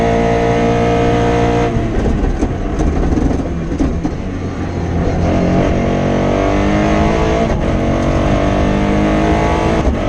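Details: Rally car on Padmore to Golden Grove stage, Rally Barbados 2017, under hard load: rough, stuttering, popping misfire instead of clean revving, caused by a broken injector wire about halfway through the stage.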